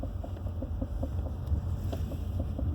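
Rapid, steady knocking, about five a second, over heavy low rumble while a car creeps and turns.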